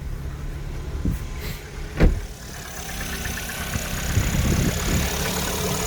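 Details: Chevrolet Orlando engine, 55,000 km, idling after valve cover gasket replacement and washing the valve cover: thin, steady high whistle over the hum from the PCV breather membrane.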